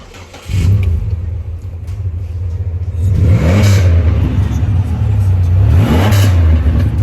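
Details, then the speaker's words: Pontiac Grand Prix daily driver whose single exhaust was converted to double, with one exhaust lost to potholes about two days ago: a deep booming rumble swelling loudly on throttle blips, far louder than stock. Loud exhaust from the missing section. "And I also converted the sound of this car, all right? So I think I'm gonna start it to show you guys exactly how this car sounds. It's crazy, guys, it's crazy."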